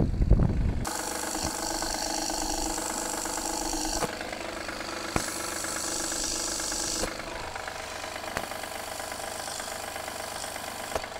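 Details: Honda Pilot III (2016) J30A9 engine at cold start, microphone on a probe: sharp, unevenly spaced knocks every second or few over idle, gone after 2–3 minutes of warm-up and returning after 3–4 hours off; cause found to be failing timing belt tensioner.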